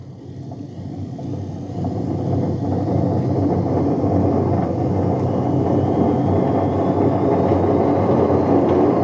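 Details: Bush A126Q washing machine on a test spin starts quietly and swells within two seconds into a loud, deep, steady roar from bad drum bearings.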